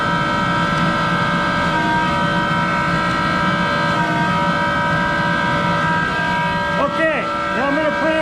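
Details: Monarch 10EE precision lathe, extremely worn, original motor-generator drive with exciter, at full speed 2500 RPM: loud steady whine with several fixed tones, then pitch sliding down as it coasts; sounds like worn motor-generator bearings.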